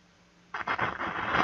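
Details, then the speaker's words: Caliber Venom CA 160V4 car audio amplifier after resoldering four transistors, tested with speaker: at switch-on a loud scratchy crackle and hiss rising; noisy faulty control potentiometer. "Voyez, ça fait du bruit, hein."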